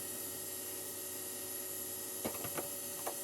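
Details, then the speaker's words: ARC-5 BC455 command receiver being restored, running on its dynamotor (3.3 A, 46 W, about 217 V HT): a steady high whine with constant pitch and an even buzz, no knocks or grinding; it runs smoothly, just noisy. "What I'm going to do is I'll change over to the power pack now, this unit that I built, because as you can hear, the Dynamotor makes a fair amount of noise."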